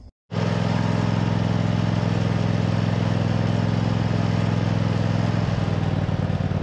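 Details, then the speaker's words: MTD zero-turn mower's twin-cylinder engine, tested after repairs with a working charging system, catches at once and settles into a deep, steady, even drone with no misses or knocks; running healthy. "uh this twin cylinder sounds good healthy everything is good to go on it"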